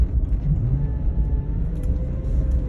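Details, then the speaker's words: 2005 GMC Yukon Denali XL 6.0 revved in neutral after power steering pump replacement and hydraulic flush: low drone with a thin whine rising with revs. It used to whine only at 1000–2000 rpm, now all the way up. Transmission ruled out. "before it was kind of only making sounds between maybe one and two thousand rpm now it's making that wine all the way up"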